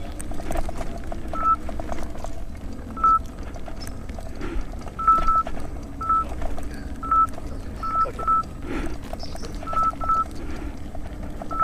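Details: 84 V Nikola electric unicycle climbing Overheat Hill, board at 40–43 °C: short high beeps near 1 kHz repeating about every second over road and wind noise, the current alarm, shortly before blown MOSFETs killed the control board.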